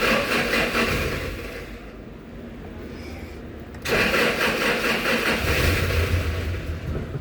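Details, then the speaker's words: 2011 Toyota Hilux: starter spins the engine steadily about two and a half turns a second but it never catches; crank no start, no fault codes, engine speed reading missing, crank sensor already replaced without fixing it; ECM fault. "गाड़ी crank करती है मगर start नहीं होती मैं आपको check करवाता हूं स्टार्ट की स्टार्ट करते हैं क्रैंक करते हैं मगर स्टार्ट नहीं होती"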